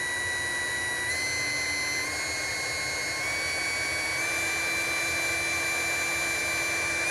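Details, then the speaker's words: Small brushed DC motor running unloaded, its voltage raised by hand so the rpm rises and the whine steps up; even brush and commutation buzz, internal fan and faint shaft rub, checked on a Uni-T UT353 sound meter; normal running. "now there there's no load on this thing so it's not making any noise um for that but it does have a little fan inside and it does have you know the commutation noise"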